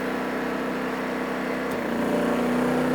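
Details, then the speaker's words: Champion 2500 W starting / 1850 W running dual-fuel generator (100899) under heater resistive load rising from about 700 W to 1600 W, holding 119 V, some smoke at start: steady even drone picking up slightly as load comes on; running properly. "Okay, so now we've kicked it up to 1600 watts, and we're still holding true at 119 volts. This thing is still well within reason."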